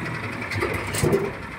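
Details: Horizontal dough mixer driven by a 9 HP General Powell CX 270 petrol engine, test run on half a litre of fuel: steady low, even drone, no knocks or misses; described as smooth yet heavy because the engine is large. Normal running.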